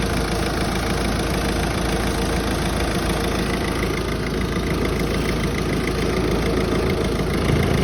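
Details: Peugeot 508 idling after a clutch swap with an intermittent, uneven tinny metallic rattle over the hum: the heat shield plate protecting the gearbox controls was not properly latched, detached and vibrates.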